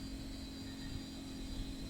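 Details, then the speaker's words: Retro flea-market PC with hard drive jumpered as master, at power-on: low steady hum and faint even whine over fan noise as the drive spins up normally without clicking; it was then detected and booted Windows 98. "so hard drive is attached let's have a lesson to see what it does it's spinning it even sounds half"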